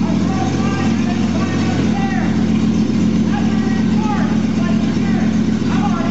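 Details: 2001 Jeep Cherokee Sport, first startup of the newly installed rebuilt engine with the exhaust not yet hooked up, after poor connections were fixed. Loud, raw exhaust note with an even, steady beat and no knocks or misfires; it runs normally.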